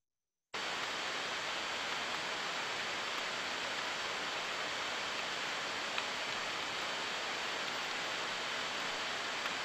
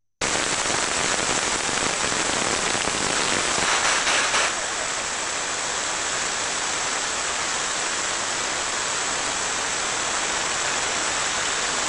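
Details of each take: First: Bearing on a rotating machine heard by ultrasound: smooth, even rushing hiss with only a couple of minor ticks, regular and steady with no rhythmic defect; normal bearing running, judged correct. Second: Bearing heard through an ultrasound probe while being greased: rough steady friction hiss that drops in decibel level after about four seconds as grease is injected; bearing friction reducing with lubrication.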